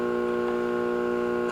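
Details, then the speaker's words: Late-1960s Rittenhouse RM20/RM22 radio intercom master station with a scratchy, dirty volume control. Steady low buzzing hum, even overtones, unchanging level, heard through the speaker; mains hum, cause not confirmed. "not sure about that now you can actually hear the background hump even more"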